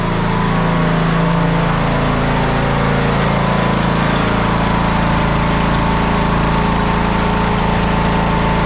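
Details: TroyBilt lawn tractor, long-sitting, restarted with choke and warming up before oil drain: small engine runs at constant, even speed with no surging or hunting, slightly smoky, probably from sitting; normal running.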